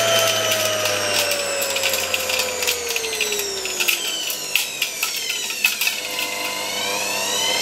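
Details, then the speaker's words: Motor removed from a 1989 Soviet Uralec vacuum cleaner, run on reduced voltage of about 50–60 V: whine falls as it coasts down, with scattered light ticks and rattles from loose sand and dust in the turbines. "There are still some pieces of sand, some dust floating around in these turbines..."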